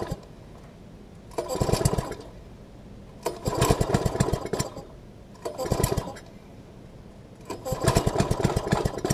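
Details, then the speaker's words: MTD front-tine tiller, fresh fuel, tank about 2/3 full: engine starts but sputters and surges in ragged bursts about every two seconds, as if over-choked; cause was a throttle linkage misconnected at the carb, fixed by reconnecting and adjusting it. "As you can hear, it sounds like it's just spitting and sputtering. Might be a little bit of gunk in the carb, although the gas that's in it, it smells good."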